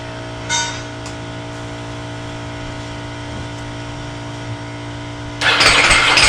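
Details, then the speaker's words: Ducati Multistrada with fuel about three years old: a steady electrical hum, then a strange rough starter burst that doesn't catch, and the bike won't start; an electrical short is suspected. "that is a strange sound not sure what that sound was and does not start at all"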